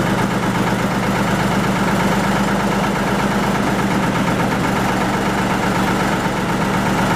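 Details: 1940 Lister JP3 diesel single-phase 230 V generator test run after water pump rebuild, top radiator hose weeping: steady, even thrum at constant speed, no knocks, misses or surging; normal running.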